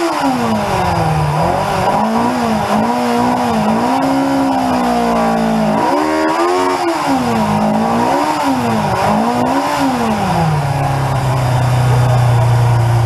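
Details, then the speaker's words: 1981 Yamaha XJ750 Seca inline-four, first run in years after carburetor work: clean note climbing and falling smoothly through repeated revs, then steady idle; healthy. "man i forgot how much i love that four-cylinder song all right she's rolling gonna be a good day tater"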